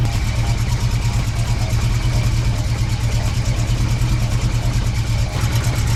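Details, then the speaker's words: BMW E30 M-Tech engine, freshly reassembled, lightly revved: uneven low knocking about three times a second as the engine rocks on its mounts and the vibrating exhaust header strikes the chassis; an engine mount spacer is considered. "yeah it's the header as soon as it starts to vibrate a tiny bit more that's when you can hear it knocking and hitting"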